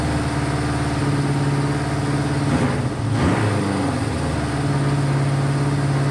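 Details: Honda CB500 four-cylinder idle that holds, then stumbles and wavers before settling, while firing on all four. It is hard to idle properly and smokes a decent amount; the owner suspects low compression.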